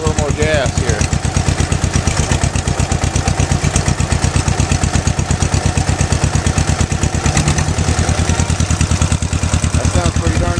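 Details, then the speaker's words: Old two-cylinder tractor after condenser replacement and rotor/cap contact cleaning, running without cooling: steady, even putt-putt at raised idle with no misses or knocks, little smoke; running healthy. "all right listen to that baby we got her going woo all right give me five give your knuckle bomb all right awesome Eli you got her going listen to it [Music] go oh sweet not smoking that bad give it a"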